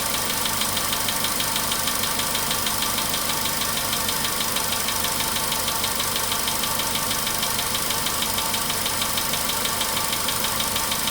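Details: VW Polo Sedan, 99,329 km, idle after cold start, warming: fainter regular light knock about three per second still present; engine feels heavier; owner thought oil had spread; source unclear.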